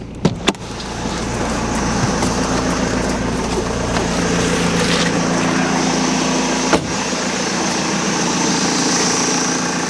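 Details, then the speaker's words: BMW diesel on a jumper pack, fuel pump audible: short crank fires straight up into a steady even idle with no hesitation or long cranking; earlier high-pitched inline pre-supply pump noise gone. "I just don't get it. It literally just fired straight up, no hesitation, no long cranking whatsoever."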